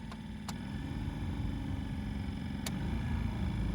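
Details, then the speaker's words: Opel Combo heater blower motor, removed and tested: low uneven rumble with faint clicks, spinning sluggishly without squealing, then seizing and stopping. "Так, послухаємо, як робить моторчик. Чуєте? Досить погано крутить,"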